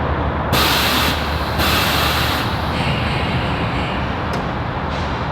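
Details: Tesla Model 3 with Universal Air Solution Series 2 struts and Accuair Endo VT E-Level management, lowering to a preset height via remote: loud steady hiss of air dumping from the bags, stepping down in bursts; normal venting.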